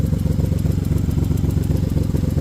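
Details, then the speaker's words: Random misfire (P0300) diagnosis: with a spark plug wire pulled, sharp regular ticking (about six or seven a second) over a lumpy idle as the wire arcs to a nearby metal component; ignition arcing tick. "the clicking sound I hear it back there so I think it's arcing out on something see now it's ticking even though it's not if I hold it just right I can get it to Arc out there"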